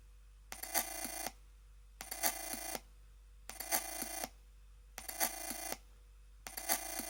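Phone-like warbling chirps repeat in bursts about every second and a half over a quiet room; an electronic noise of unknown cause.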